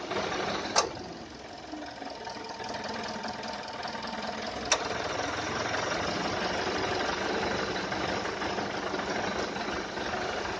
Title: AC compressor loud noise , kick in cut off too frequent